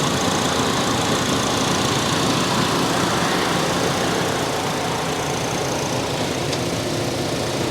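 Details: Salvage-auction car at Copart lot, 117,000 miles, no obvious oil or coolant leaks under the hood: even, steady idle with constant hiss and no knocks, misses or rattles; normal idle.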